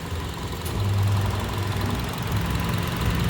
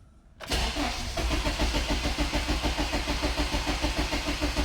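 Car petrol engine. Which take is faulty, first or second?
second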